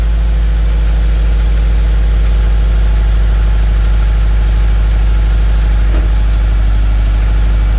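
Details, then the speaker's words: 2013 Scion FR-S with a used replacement engine swapped in after rod knock, first run while coolant is topped off: deep, steady boxer idle with an even low pulse, no ticking or knocking; normal idle. "sounds good we're just topping off the coolant now no weird noises so far"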